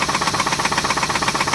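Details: 2006 Pontiac G6 at cold idle: fast, even internal knocking; owner suspects a rod and thinks the oil may be overfilled. Knocking and grinding continued later when driving warm.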